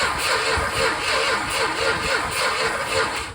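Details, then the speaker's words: 1970 Plymouth Roadrunner 440 six-barrel parked since 1991, cranked in short bursts: slow cranking with uneven, weaker strokes. Uneven compression bleeding through on a couple of cylinders into the crankcase; rings suspected, not confirmed. "you can't hear compression bleeding through a couple of them I suspect it's Rings because it sounds like it's you know in the crankcase"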